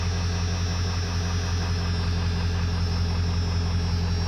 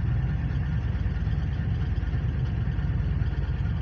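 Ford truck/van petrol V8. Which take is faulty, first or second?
second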